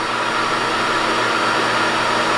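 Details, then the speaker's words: New QuickLift air compressor just installed in shop, replacing a deafeningly loud old unit: smooth even hum with soft airy hiss, no knocks or rattles, quiet enough to talk over, good pressure. Normal running. "Okay. Well, we got our new Quick Lift air compressor and I can hear myself think. It's now running. So, I'd say it's a good upgrade."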